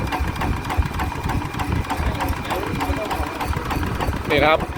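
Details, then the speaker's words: ET110 single-cylinder diesel before 120 direct-injection upgrade: set to slow idle, slow regular thumping holds steady without dying; doesn't stall. "วางรอบเบานะครับก็ถือว่าอ้าวไม่ดับ"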